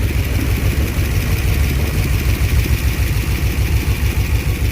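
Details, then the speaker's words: Ford Mustang (Eleanor project) abandoned over a decade, first start: a loud, lumpy idle with an uneven low thump, sounding dead on about two cylinders; misfire suspected, not confirmed. "It ain't running really good though, but it's running. Hey, it's idling too. Oh, it sounds bad. It's dead on like 2 cylinders for sure. She's a typewriter."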